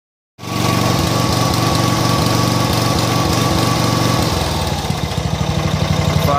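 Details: John Deere mower small engine with new spark plug runs rough with uneven firing beats, idles mostly okay but stumbles now and then; carb was cleaned, but an over-oiled foam air filter was the cause.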